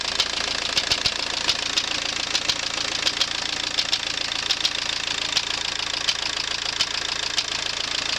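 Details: VW AWX diesel engine at idle: sharp metallic knocks over the idle, roughly one to two per second and slightly uneven; internal engine knock.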